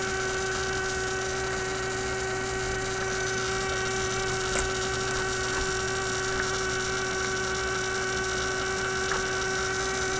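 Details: Steady fixed-pitch buzzing hum with no rhythm from a 1967 Heathkit Electronic Projects Kit AM transmitter build; the noise persisted with the coil and power disconnected, proving the bench power supply was producing the hum.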